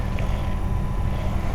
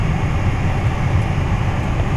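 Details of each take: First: 2010 Toyota Tacoma regular cab HVAC blower on low heat setting: low steady whir with uneven fluttering rumble, less noticeable on higher settings; heat and AC work fine, blower motor itself getting noisy. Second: 2010 Toyota Tacoma regular cab after dealer replaced the HVAC blower motor: steady even low airflow rumble with no squeal, ticking or rubbing; brand new blower nice and quiet.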